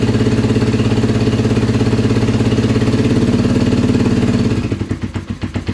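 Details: Kawasaki KZ440 project bike, charged battery and new spark plugs: fast steady pulsing run for about four seconds, then beats slow, weaken and falter as it dies; starts but won't idle, cause unknown.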